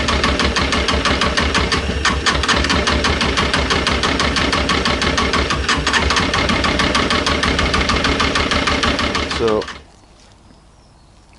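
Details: Honda CB600F, about 26,000 miles, misfire on cylinder two, started on battery with choke after draining that cylinder's carb: ragged uneven idle with a lumpy beat about three per second, then cuts out; cylinder misfire.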